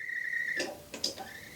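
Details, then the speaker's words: Nakamichi BX-125e cassette deck bought as defective (wouldn't play, ate tapes), before overhaul, with a tape loaded: motor whine, then clicks and clatter as the transport keeps cycling without playing; idler tire most likely bad. "It doesn't want to stop. It doesn't want to play the tape. So he's right."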